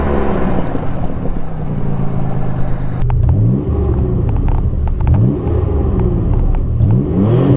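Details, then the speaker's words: Nissan 300ZX Z31 turbo, previously straight-piped after the cat was cut off, now with a home-fabricated cat-back exhaust using a 2.5" muffler: deep, smooth, well-muffled exhaust drone climbing steadily in pitch as the engine pulls through the revs; owner says it sounds perfect. "it sounds perfect I wouldn't change it I don't know what I would do I don't know how to make this car sound better than this"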